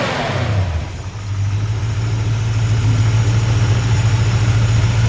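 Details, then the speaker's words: 1953 Ford F100 shortbed with 302 V8 from a donor Mustang: smooth even V8 idle with steady low burble after a quick blip, no exhaust leaks, ticks, knocks or misses, great throttle response; healthy. "you can hear the engine no exhaust leaks no ticks super super nice sounding great throttle response"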